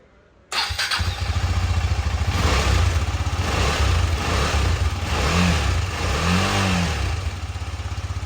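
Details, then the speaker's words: 2018 KTM Duke 250 left dead for one year, started after fully charging the flat battery to 100% with a smart charger. Catches straight away after a short crank, settling into a steady, even single-cylinder beat: normal start. "Remove பண்ணிட்டு இப்ப ஆனே ஆகாம இருந்ததுதான் on ஆகுது."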